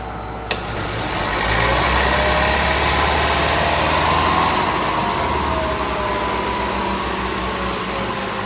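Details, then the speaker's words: 2007 Toyota Prius, first start after replacing the inverter coolant pump (code P0A93): engine catches and revs to a raised steady hum, then eases slightly; normal high warm-up idle, no knocking or rattling. "seem to rev up pretty high were you giving it gas burthen oh yeah I was not making a terrible noise usually that's successful"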